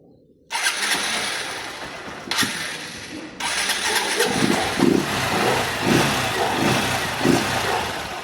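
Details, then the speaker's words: 160cc single-cylinder motorcycle previously with engine noise, after fix: starter whirs, engine catches and settles into even idle with no knock or rattle; normal idle. "Mano, olha o jeito que tava o barulho dessa moto aqui. E olha como que tá agora"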